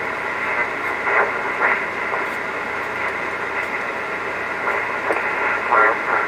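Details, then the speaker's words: Previously disassembled vintage rig (VFO coil replaced, cracked PCB and bad solder joints repaired), volume turned up: a station is faintly there under hiss but the voice breaks into warbly, smeared fragments; it won't receive properly, garbled receiver audio. "Nope, just won't receive them. It's there, but very garbled up."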